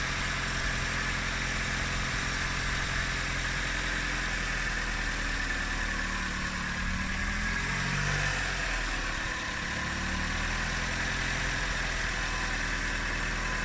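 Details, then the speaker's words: Nissan K11 Micra small four-cylinder during service (oil and coolant change), warmed up: calm, even idle with steady beat, no knocks or rattles, then the loud cooling fans cut in once hot; normal running. "there you go now the fan's cutting right you'd hear that loud noise that's cooling fans"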